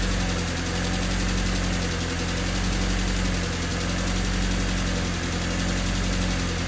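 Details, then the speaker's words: Honda Civic D16Y8 engine right after valve lash adjustment to spec, not fully warmed up: low rumbling idle swelling and sagging instead of holding steady, faint light tick on top; hunting idle persists, ticking possibly injectors. "I mean, it's still ticking quite loud. Could very well just be the injectors. They are all to spec now. It's still idling a little weird. It has a hunting idle."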